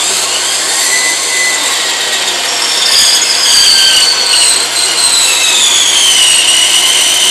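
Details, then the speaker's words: Saw cutting a tree branch for a pen blank. Shrill squeal wandering in pitch as the wood's internal stresses pinch and bind the blade. "You can see that it bound on the blade. You could hear it squealing when those internal stresses were getting at it."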